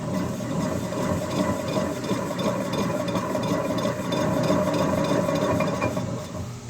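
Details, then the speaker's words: 2012 Mazda 3 rear wheel spun by hand: rough, gritty rasping growl with uneven scraping throughout, though the hub has no play; worn rear wheel hub bearing, to be replaced. "probably one of the worst sounding ones surprisingly it's not loose"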